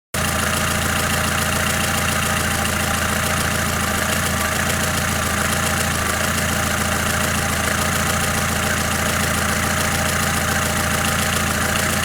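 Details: Lada Kalina engine at warm idle, runs unevenly when cold; light uneven tapping over the engine hum at a couple of beats per second, source not pinned down; engine tapping.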